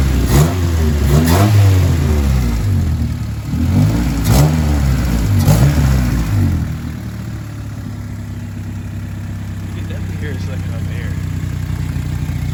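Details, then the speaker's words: Honda D16Y7 with newly installed budget homemade short ram intake, warmed up 5-10 minutes, no check engine light; sound test revs rise and fall with intake whoosh, settling to steady even idle; healthy. "So the cars are warming up for about 5-10 minutes or so. No check engine light, anything like that. Sound test."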